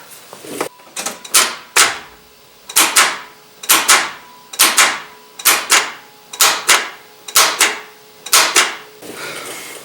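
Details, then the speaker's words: 1994–2001 Dodge Ram with 5.2/5.9 L gasoline V8, starter with built-in solenoid, heard at the starter: sharp clicks about once a second with no cranking; poor solenoid contact fails to engage the starter motor, starter needs replacing. "so the sound is coming from here from the solenoid it's trying to engage but the connection is not good good enough and it doesn't engage the starter motor so it needs to be replaced"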